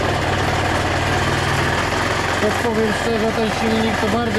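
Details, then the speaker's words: KSR Moto with AM6 50cc two-stroke, reassembled and warming up: rough, rattly mechanical clatter over the exhaust buzz at idle, louder than it should be; the mechanic suspects the bearings need work, unconfirmed. "ale powiem naprawdę hałasuję ten silniczek Nie podoba mi się sam będą łożyska do roboty"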